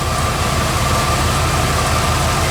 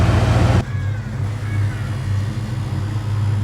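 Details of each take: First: Bullnose Ford F150 V8 at idle after swapping high-pressure fuel pump for low-pressure Edelbrock pump, return line capped: even, steady idle with smooth low pulse; earlier scraggly noise (owner wonders if pinging) no longer heard; normal idle. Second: Bullnose Ford F150 V8 idling: steady low idle with a light fast clickety-clack riding on top; owner still doesn't know the source of the ticking.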